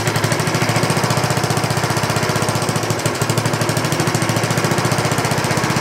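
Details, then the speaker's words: 1960s Roof push mower, trash-picked, rings suspected worn, fed fuel from a bottle: rapid sharp single-cylinder bark at steady rate, runs evenly without shaking, no bent crank apparent, but a little smoky. "Seems like it runs a long time afterwards. Good. Yeah, a little smoky."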